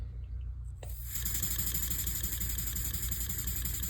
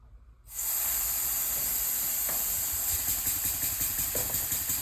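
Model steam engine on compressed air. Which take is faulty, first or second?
second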